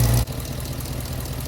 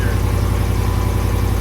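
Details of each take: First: Hemi V8-swapped Jeep JK after replacing a defective power steering pump and bleeding air by turning the wheels; after a brief loud start the engine settles into a smooth, even idle with no howl or whine; sounds healthy. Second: Jeep JK with Hemi swap, new aftermarket Daystar power steering pump, engine at raised idle: steady whirring drone over the rumble, fading at low idle; defective power steering pump.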